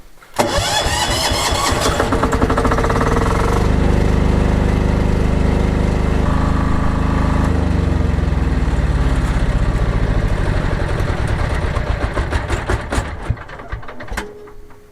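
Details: Backup generator started after its break-in oil change: cranks, catches quickly and settles into a steady, even drone with no knocks or misses; starts and runs normally.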